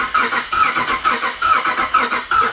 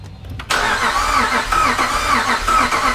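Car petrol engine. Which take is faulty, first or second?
first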